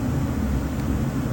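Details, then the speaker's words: New house A/C startup: steady heavy low rush of air with no pulsing or rattle; a four-ton blower on a two-and-a-half-ton system moves too much air across the coil to dehumidify, so it will be turned down, static pressure untested. "i should do static pressure but i can come back tomorrow and do that and set that up and just move too much air across that coil it's not going to dehumidify right"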